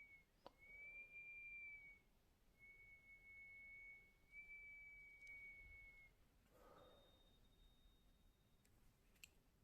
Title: Pamu headphones sound problem [weird noise from case] 😳